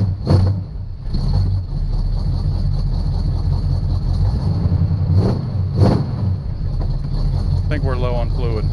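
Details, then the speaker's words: 1976 Chevrolet Chevelle V8 auction car being revived: steady, even low rumble with no top-end clatter, but no oil pressure; owner suspects something chewed the oil pressure line, as with the wiring. Normal running, no valvetrain noise. "I don't hear any clitter clatter oh my God so no oil pressure could be because some thing chewed through the oil pressure land rather same thing that uh chewed through the wiring"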